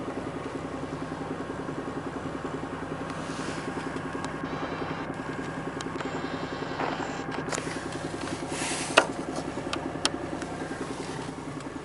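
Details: VAZ 21124 1.6 16-valve petrol, cold idle: quick, even ticking knock over a steady hum from the timing-belt side (right from the cabin); fades as it warms, sometimes appears at 1500 rpm in first gear and stops with throttle; cause unknown.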